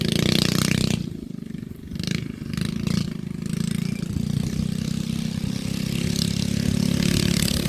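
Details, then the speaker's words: Baja Warrior minibike riding after a front fork swap: the small engine pulls from a stumble with a light, uneven metallic rattle over the exhaust beat. Owner suspects the torque converter; rattle unconfirmed. "I hear it rattling, but I think that is still from the torque converter."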